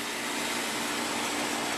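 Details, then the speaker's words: Home A/C outdoor unit, control board replaced, contactor manually triggered: even rushing fan air over a steady compressor hum, no rattles or surging, condensation forming; fan and compressor run normally, but the unit won't run on its own. "everything works. Fan runs, compressor runs, and if I give it a minute, you'll see that the condensation begins to form, so it's cooling properly."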